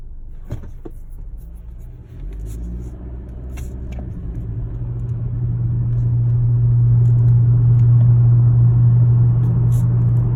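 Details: 2018 Honda Accord Sport 1.5T: steady low abnormal hum rising out of the engine rumble and holding as a loud even drone from the engine.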